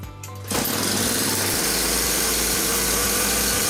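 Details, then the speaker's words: Chainsaw after new fuel hoses, gasket and carburetor refit: catches after a second then runs a raspy high buzz that wavers and stumbles; carburetor not running properly, cause unclear, owner suspects carb repair kit needs replacing. "Пилка заводиться, але карбюратор челі. Незрозуміло чому."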